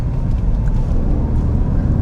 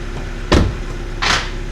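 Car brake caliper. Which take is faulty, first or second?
second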